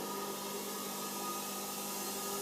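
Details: Homemade belt grinder with speed controller, drive roller balanced by ear with plasticine after radial runout removed: runs with a steady, even hum and hiss, no wobble or pulsing.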